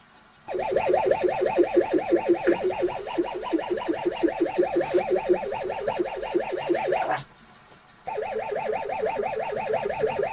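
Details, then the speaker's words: ZX Spectrum 128 +2 built-in tape drive plays with a warbling, pulsing chirp about three times a second instead of a steady lead-in tone; tape won't load, everything else appears okay. "okay so it's no surprise that the spectrum tape drive isn't working uh it's unfortunate everything else appears to be okay but you can hear when the tape is playing it doesn't sound like a normal cassette tape loading one of these old 8-bit machines"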